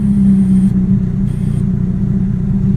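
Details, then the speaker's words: Mitsubishi Eclipse idling with a cheap boost controller used as a manual idle air bleed: steady idle with thin high whistle that cuts out when covered; air drawn through the leak, raising idle about 100 rpm. "yeah if I put my finger over and close it Idol goes back down you could definitely hear the leak I don't like that I can feel it pulling air in right now"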